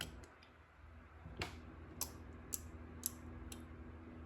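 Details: Microcontroller breadboard driving solenoid relays with a 3.3 V signal, code setting pins low one after another: crisp single clicks about every half second as relays close in a quiet room. The relays are switching normally.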